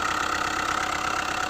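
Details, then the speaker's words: Hyundai i20 at idle, tappet cover open: fast regular tapping knock over the engine, source unclear; connecting rod bearings were already replaced elsewhere but noise persists and rises sharply with slight throttle. Engine knocking. "सबसे पहले आप लोग जो है तो इस गाड़ी की फायरिंग सुनिए किस तरीके का नॉइस आ रहा है इसके अंदर यह देखिए बहुत ही ज्यादा नॉइस आ रहा है इसके"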